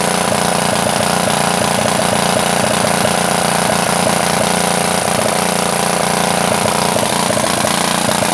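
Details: Honda GX160-based water pump engine that sat submerged overnight in floodwater, first test run after cleaning: loud, steady, raspy putter about three beats a second with a harsh edge, slightly unstable, from a broken, gutted muffler; carburetor still needs adjusting.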